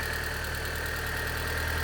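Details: Vauxhall Zafira GSI Z20LET, first run after 7 years parked, after adjustments: smooth, even cold-start idle with a steady hum and no misses or knocks, expected to drop below 1,000 rpm once warm.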